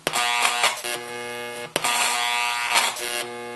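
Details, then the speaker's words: NuTone IM3003 radio intercom master station on a bench system, door talk pressed: hum grows louder, wavers in pitch and surges in bursts, returning to background hum on end call; common failure mode, before repair. "we push door talk and the loudness of the hum increases and it varies somewhat in pitch we'll push end call and it goes back to the background hum"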